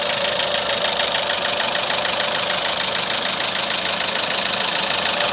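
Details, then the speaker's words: Renault Megane with K4M petrol engine at idle, sounding like a diesel: sharp regular ticking knock about 200 times a minute over a rough idle; engine knock at idle, source not pinned down. "вот рено меган приехал думаете это дизель нет это бензин работает как дизель"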